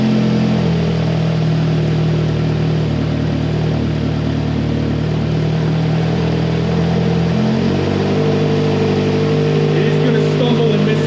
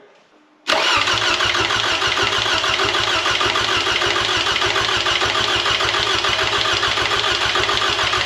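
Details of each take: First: Rebuilt 2AZ-FE engine in a 2007 Toyota Camry (new pistons, machined head, for blown head gasket and oil consumption) on first start, relearning idle: loud, throbbing, slightly uneven idle with raspy puffing from a leaking exhaust flex pipe. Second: 2007 Toyota Camry 2AZ-FE, freshly rebuilt for blown head gasket and oil consumption, crank sensor unplugged to prime oil: even starter cranking about three or four pulses a second without firing until oil pressure light goes off; normal priming crank.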